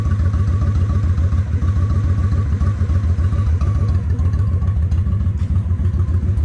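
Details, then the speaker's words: Honda 750 ACE Deluxe V-twin after refitting carburettors and air filter: steady, slightly lumpy idle about three and a half pulses a second, even and settled. "Let me idle it up just a fraction. Okay, that sounds pretty close. It's not exact, but I'll worry about getting exact later."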